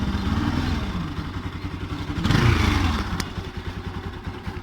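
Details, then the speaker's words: Bajaj Pulsar NS 200 (Rouser) engine revved after the owner's work shift; an uneven clattering rattle over the engine note swells with revs. The mechanic later found a worn-out stator. "un aceleró y eso es q tienes el ruido y así suena así está sonando el motor no sé qué es o quién está cenando"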